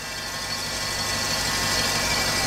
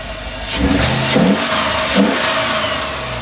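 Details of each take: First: 1988 GM OBS truck with a junkyard 6.0 LS and 4L80E swap, at idle: a steady, high-pitched whine over the engine, which the owner suspects is a bad alternator bearing; a whining noise at idle. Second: 1988 Chevy OBS Cheyenne pickup with LS 6.0 swap and 4L80E: clean, crisp revving blips with smooth, even exhaust note, no rattles or drone; exhaust came out really clean, healthy.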